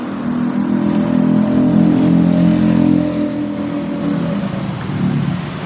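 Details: Honda Genio scooter that died suddenly while riding, after repair with fuel pressure reading a normal 42 psi: engine revs up and settles smoothly, no misfire or stumble.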